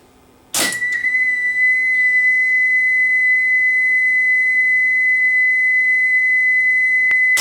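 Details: Sony TC-850 open-reel tape recorder during speed calibration at 3¾ ips, where the test tone should read 2 kHz. Steady, clean tone holding one pitch with no wavering; speed almost perfect, right on target.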